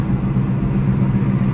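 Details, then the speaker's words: 2009 Jeep Compass (CVT) driven with front suspension raised on an alignment rack: deep, heavy, steady droning roar under way, loud over road noise; a worn front hub bearing that could overheat and shear. "That is loud, guys. That is borderline danger. The danger in this type of continued driving in this type of state, that bearing can essentially overheat and just shear from the wheel."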